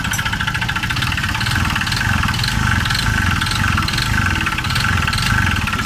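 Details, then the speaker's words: Honda Vario 125 (old model) scooter with CVT roller housing disabled: rough, hard metallic knocking at idle keeping time with engine speed; suspected worn connecting rod (stang seher) or piston, to be confirmed by teardown; crankshaft and rod later replaced. "berarti yang terbesar di sini analisanya pada bagian server sama bagian piston apa pistonnya sama bagian stang seher nya"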